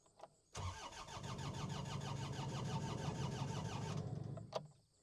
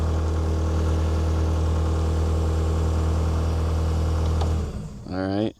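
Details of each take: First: New Holland L218 skid steer diesel, filters full of fuel: starter cranks steadily at about three turns a second for three seconds but never catches; crank-no-start, later traced to two bad relays. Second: New Holland L218 skid steer diesel after bad relays were replaced: it cranks right up and idles evenly with a deep, low drone, then shuts down cleanly. It shows a fault code, believed to be 3390. Normal start and idle.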